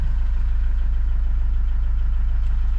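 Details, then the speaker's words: Iveco Daily campervan diesel just started after draining water/diesel mix from the fuel filter and bleeding it: steady, even low idle with no misses or knocks, little steam or smoke; normal idle. "It's running pretty smoothly. And not too much of steam or smoke coming out, so"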